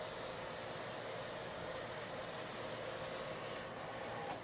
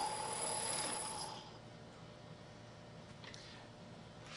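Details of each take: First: Lathe turning a long, thin part after a centre was machined in its end for support. The pass has the same depth and speed as one that chattered before, but it now gives a steady, even cutting hiss with no chatter, and a better surface finish. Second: Lathe turning a long thin part: harsh ringing squeal of chatter for about a second, as the part deflects under cutting forces, rides up onto the tool and vibrates, leaving an irregular surface finish.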